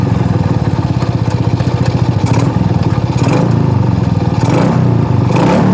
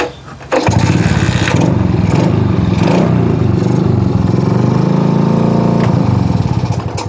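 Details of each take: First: Shogun R110 small single, gear-indicator panel plug disconnected: steady, even thudding beat with a few gear-engagement clicks, never stalls in first gear; normal running instead of the usual stall. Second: Shogun R110 motorcycle with gear-indicator plug reconnected, first gear engaged: engine runs at a rough steady idle several seconds, then fades and dies; stall caused by a short in the first-gear indicator lamp wiring.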